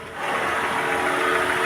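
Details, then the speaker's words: Car idling with AC compressor and ventilator switched on: steady idle with a light whirring hum, the engine bogging down about 100 rpm under compressor load, showing the AC compressor is working properly. "If everything is okay, you should hear the engine bog down a bit. It is only like, I don't know, 100 RPMs, nothing more. But you'll hear a certain load appearing on the engine."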